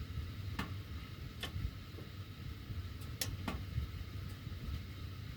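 Under a low steady blower rumble, sharp isolated ticks pop at irregular intervals, a few per second; ductwork ticking while heating runs.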